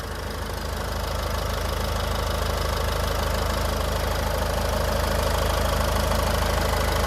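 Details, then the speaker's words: Used Ford EcoSport diesel engine, no leaks seen, idling after start: steady even diesel clatter about 220 beats a minute, no misses, knocks or surging; seller says engine condition very good. "গাড়ীখনত ইঞ্জিনৰ condition খুবেই ধুনীয়া হৈ আছে মই এবাৰ start কৰি শুনাই দি আছোঁ আপোনালোকক ইমান ধুনীয়া হৈ আছে সাউন্ডটো চাওক"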